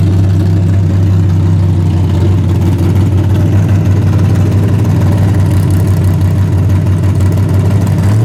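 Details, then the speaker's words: Freshly rebuilt 406 V8 breaking in, 5 min 15 s into a planned 15-minute run: loud, steady, fast even idle with no knocks, ticks or misses, healthy. Open plenum fitted; crew thinks it may need a bigger carburetor. "Well, it's breaking in right now. We're going to run it for about 15 minutes. It's already been 5 minutes, 15 seconds, so Yeah, it's really loud, man."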